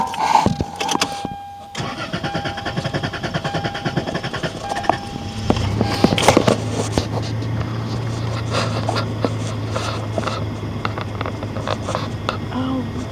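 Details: Toyota Tacoma V6 after engine swap, hot from heat soak: starter cranks for several seconds before the engine finally catches and settles into a low steady idle, a hot hard-start.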